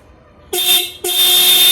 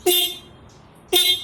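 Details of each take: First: Ducati 796 horn, bike switched on, tested while the horn mounting bracket is loosened; horn had been dim or dead when tightened: two sharp blasts, a short then a longer one, each a clear steady tone at full loudness; horn working normally. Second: Ducati 796 horn, ignition on: short blasts start bright then drop to a dull, weak buzz; loud when removed from the bike, dulls when touching or tightening the mounting bracket, works when loosened, suggesting a mounting/bracket-related fault.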